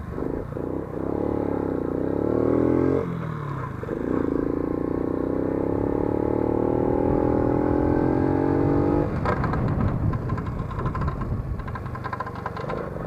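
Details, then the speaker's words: Lifan 50 moped, chain guard off: engine revs with steady rising drone and hard metallic rubbing scrape underneath; likely chain chafing, metal-on-metal hard friction. "Это именно звук металла, жесткое трение."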